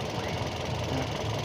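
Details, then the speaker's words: Used car engine running at the front, radiator reservoir open with coolant circulating smoothly and not spurting: steady low idle rumble, even beat, no knocking; engine sounds healthy. "Nah ini kan mesin masih nyala ya teman-teman ya mesih nyala suaranya pun masih masih halus"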